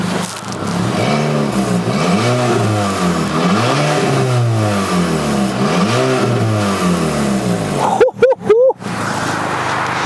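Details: High-mileage (about 200,000 miles) Mk5 VW Golf GTI with 2.0 TFSI petrol engine, three quick throttle blips about two seconds apart with a raspy, chuffing edge over the engine note, fitting a leaking exhaust flexi; exhaust leak.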